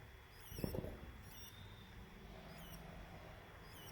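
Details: Samsung UN55NU6900 TV power board with leaking capacitors, plugged in: high squeaky chirps repeat about once a second, standby red light flashing and TV won't turn on; capacitors suspected, to be replaced.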